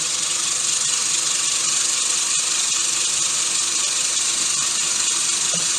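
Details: Gardena 380 C push reel mower spun backwards by a drill while backlapping with 120-grit compound: steady, even whirring with no rhythmic knock from any blade; smooth rotation.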